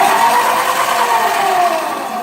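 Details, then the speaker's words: Razor E300 electric scooter after battery repair, second unit powered on with wheel free-spinning: smooth steady electric whine, slight pitch fall, no grinding or clunks; hub motor running normally, fixed. "Now I'm gonna power both of them on and prove to you that they're both fixed."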